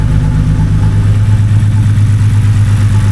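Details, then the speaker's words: BMW N52 at idle with an earlier cylinder 2 misfire code, after the cylinder 2 coil was removed and refitted: the same uneven, loping beat about three times a second, like one cylinder dropping out. Coil 2 is suspected to be faulty. "Let's restart the car. See if the sound we get is the exact same sound. All right. I hope nothing bloody blows off. It is the exact same sound as before."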